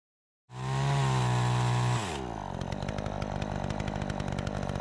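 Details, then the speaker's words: Troy-Bilt 20-inch chainsaw after carburetor adjustment: crisp high rev held steady, then a brisk drop to an even, regular idle with no stumbling; runs clean, though a bit more RPM might be available. "Sounds good. This thing runs so much better. It's like a completely different saw."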